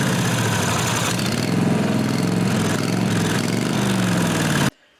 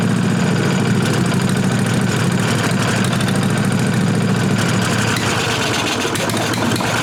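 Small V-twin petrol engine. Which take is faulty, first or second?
first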